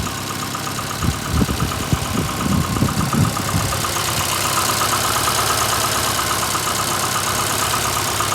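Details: VAZ 2115 8-valve, cold, misfiring after head gasket blew on cylinder 1 a week ago (coolant and 5W-40 Lukoil oil changed, valves adjusted 3 months ago): uneven idle with irregular knocks, then faint scraping tick; check light on, cause unknown, owner suspects worn valves.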